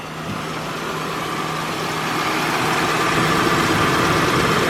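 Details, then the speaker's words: Station wagon idling in park, just after a drive, still misfiring, suspected fourth cylinder; uneven lumpy beat about three to four pulses a second that keeps stumbling, worse when put in gear; misfire at idle. "yeah who knows maybe we have a problem with the fourth cylinder ultimate towel is watched it's in park if i put it in any gear you guys hear that that's the obvious sign that we are still missing"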